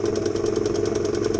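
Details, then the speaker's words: 1975 Elna Lotus sewing machine running: a steady motor hum with a rhythmic grunt about eight times a second. Caused by a flat spot on the rubber motor idler wheel; the noise stopped after the fix. "elle fonctionne vous pouvez entendre qu'elle fait un bruit pas et catholiques"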